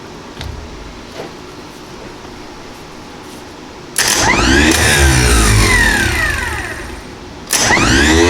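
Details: International 2510B loader tractor starter bench-tested after repair: whirs up quickly with a whine that rises then falls and a loose rattle on its mounting; otherwise it spins freely.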